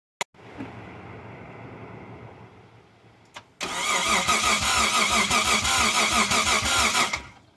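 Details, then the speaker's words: Mitsubishi 3000GT VR4, first start after rebuild with forged bottom end, billet twin turbos, MAF swap, big oil cooler and big FMIC: after a quiet lead-in it catches and revs with an even, strong pulse and settles cleanly; healthy start. "ooh that sounds pretty good yes it does yes it does"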